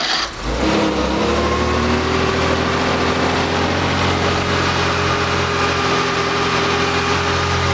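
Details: Rebuilt Porsche CIS-injected engine, cold start after sitting overnight, fuel pressure gauges removed and air filter fitted: catches quickly and settles into a smooth, even idle with a steady hum, no stumbling or hunting. Normal cold start and idle.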